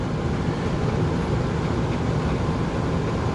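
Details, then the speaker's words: RV rooftop A/C with Micro-Air Easy Start soft starter, on a 30 A generator: compressor heard running up on the roof, steady low hum with even airy rush, no clicks or rattles; running smoothly. "and now I can hear the compressor running up there"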